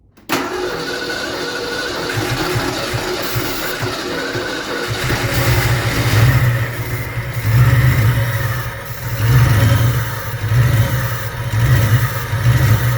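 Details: Fox Body Mustang V8, started for the first time in over 20 years after many parts were replaced. Cranks and catches within half a second, then settles into a steady deep idle with light blips. Normal start and idle.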